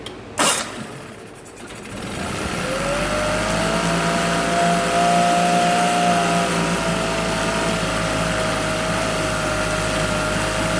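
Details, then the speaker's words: Yamaha T9.9 outboard with cold-start trouble, running in water bucket after cold start using home-made knob choke over intake: fires after a couple of pulls, climbs to steady even buzz, holds smooth idle without misses; runs healthy. "We've had problems with it starting cold. I usually have to put my finger right here over this intake to get it to start. And then once it started, it runs great."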